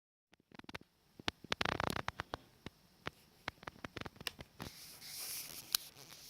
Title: Sony Bravia TV clicking noise